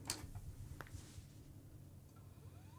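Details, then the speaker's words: Apple Macintosh IIci (1989), inoperable for 8 years, external SCSI hard drive just connected and powered on: a couple of soft clicks, then a faint whine climbing steadily as the platters spin up; a healthy drive start. "There it goes. I like the sound of old Macintosh, like Apple hard drives."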